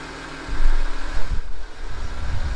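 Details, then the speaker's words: Land Rover Discovery 3 air suspension compressor filling a newly replaced reservoir, pressure near 1500 (old leaking tank reached only about 300); steady low droning hum, no hiss of escaping air; compressor running normally, no leaks. "So it's almost at 1500 now, so it's almost there. You can hear the compressor running. I can't hear any leaks."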